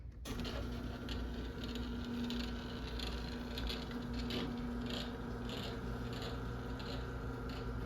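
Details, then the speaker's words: 2010 Chamberlain Whisper Drive 248739 1/2 HP belt-drive garage door opener: steady motor hum with light repeating rattle as the trolley travels; trolley vibrating a bit. "Trolley's vibrating a bit."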